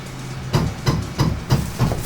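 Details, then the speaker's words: AnyCubic Photon M3 Max resin printer after screen replacement, 10 mm lift distance, Z offset set: low heavy thumps about three per second as the Z axis homes, cause unconfirmed; knocking during Z-axis homing. "yep that doesn't sound good at all what the hell what the was that I set the home what the was that"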